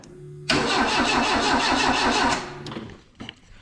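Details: Renault 5 GT Turbo van being revived after weeks off, fuel pump relay just wired so the pump now runs: starter churns the engine about two seconds with uneven chugging, then quits without catching; cranks but won't start.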